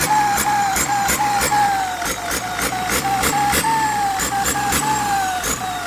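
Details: HX35 tractor turbo tested before shipping, boosting at low revs. A clear whistle of around a thousand cycles dips and rises with each throttle blip over a ticky engine; the turbo spools and makes boost normally.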